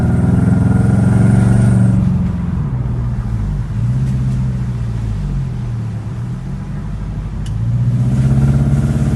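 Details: Honda FD with K20 petrol engine, revving and idling: an uneven, lumpy beat from a misfire because the No. 3 coil plug is dead, leaving three cylinders running; the car feels heavy and the engine sounds rough; found by unplugging coils one at a time.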